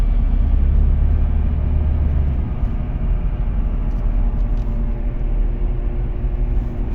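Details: Audi A4 B8 Avant while driving: a deep, continuous droning rumble, low and steady under the road noise. A worn wheel bearing, replaced with an FAG wheel bearing repair set.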